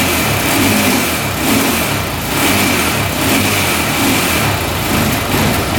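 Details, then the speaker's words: 2004 Honda 400EX quad after carb clean, valve adjustment, new coil, boot and spark plug: uneven stumbling note surging and sagging about once a second, backfiring; still bogging and misfiring, coil ruled out, cause unknown. "I can hear backfiring like crazy. Yeah, I don't think the coil was a problem. Still doing the exact same thing."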